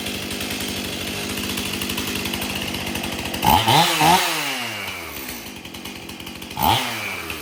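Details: Stihl MS 271 chainsaw, previously hard to start, after tank found clean and fresh mixed fuel added: steady two-stroke burble at idle, then two clean sharp revs climbing and dropping evenly; normal idle and rev.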